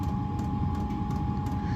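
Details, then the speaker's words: Likaci diesel air heater, newly set up in a cold garage: burner lit with a steady low roar under a constant fan whine, no pulsing or sputter; diesel smell and air possibly warming, normal combustion. "And I can smell diesel. So, and the air in here is maybe actually getting warmer. I can definitely smell diesel being combusted."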